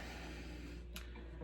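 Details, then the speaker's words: Fender Hot Rod Deluxe tube amp after a Fromel mod, warmed up and idling, with no mains hum or buzz it previously had, just a faint tick; normal quiet idle. "Sounds good. Sounds quiet. It's on right now. Not making any humming, not making any noise like it used to."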